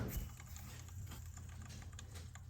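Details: Lexus LS400 serpentine drive, belt slackened and top idler pulley spun by hand: faint, gritty rumble with light irregular ticking instead of a smooth, silent spin; worn idler pulley bearing, to be replaced along with a second, worse pulley.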